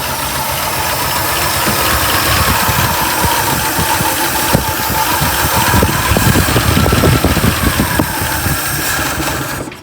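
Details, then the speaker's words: 1976 Squarebody farm truck revived after 20+ years sitting in a field: uneven, lumpy idle with irregular thumps and surging, fuel leaking at the carburetor, which is loose, not bolted down and missing bolts. "I was going to try to tighten this to deal with our leak, but the carb's not even bolted down. How did we get it to run at all?"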